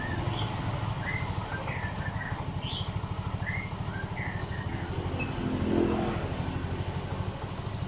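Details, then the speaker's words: Yamaha Mio M3 scooter with weak power and flashing MIL code 28 (engine temperature sensor), after ECU data reset: temp now reads 59° instead of -20°, O2 sensor working; even, steady idle thump, higher than before, running smoothly. "Hai nah ini langsamnya udah gede beda yang awal tadi"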